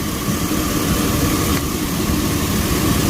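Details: 2002 GMC Sierra idling during AC recharge with R-134a, relay refitted: steady idle with a brief light click as the compressor clutch engages, then idle settles under the extra load; normal clutch engagement.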